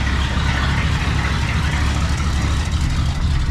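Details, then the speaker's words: 1961 Cadillac 390 V8 running with no muffler and pea-shooter exhaust, checked after glitter was found in the oil: loud, even rumble with steady pulses, no knock or tapping, quiet up top, oil pressure over 20; healthy. "actually don't like the sound of that with no muffler at all. That sounds terrible. The old 390 with no muffler and pea shooter exhaust."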